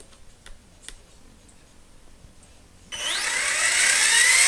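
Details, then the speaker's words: RC helicopter with iKON flybarless governor and ICE II ESC, spooling up in stunt 1 at 2200 rpm: quiet, then a sharp high motor whine climbing smoothly and evenly; normal governor spool-up. "there's the spool up and that's in stunt one so that's a 2200 rpm now i'm going to stump 2"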